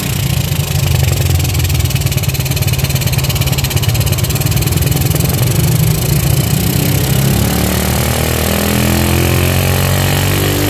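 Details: Shogun 110 motorcycle after carburetor cleaning and service: smooth, even single-cylinder beat that picks up cleanly on throttle and settles back without stumbling; running normally.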